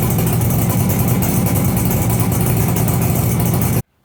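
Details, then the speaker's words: 42-year-old Suzuki 200 two-stroke twin, an abandoned project with replacement barrels and pistons fitted after bad piston slap, first cold start; quick start into an even, crisp buzz with no knocking or slap and lots of blue smoke. Normal running. "that started pretty quickly I thought there might be problems with it but I've opened the front and rear doors of the garage because there's a lot of two-stroke blue smoke"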